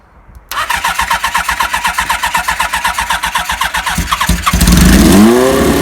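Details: 1978 Kawasaki KZ1000A project bike, possibly original miles, first hot-wired startup with a small gas leak: starter whirs briefly, the inline-four catches, idles evenly, then revs cleanly; normal start and revving.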